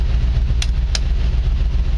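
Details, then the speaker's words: 1949 Chevy truck school project, running and driving after three years of work; steady, even low idle rumble with no misses, knocks or hunting; runs surprisingly well; normal idle. "all right so we got to park them this is not turning out real well but I tell you what I feel the need the need to go around the block in this truck because it does run very well and I'm actually kind of surprised by how well this thing runs"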